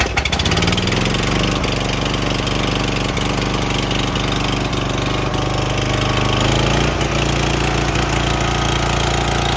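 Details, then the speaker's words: Troy-Bilt 7550 W dual-fuel generator, Briggs & Stratton single-cylinder, running on propane after fixing a bad electrical connection that stopped the starter and carburetor solenoids: steady, even speed, no misses or knocks; healthy. "we got it out here with a big propane tank going to fire it up make sure it runs right"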